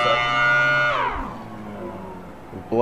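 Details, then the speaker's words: Mini Thunderbolt tornado siren, blower box running: whistle drops away after a second and dies, then surges back near three seconds; blower cutting on and off from loose twisted wiring, later tightened. "sorry about that cut right there little wiring issue with the blower it was like glitching as a team it was like turning on and off"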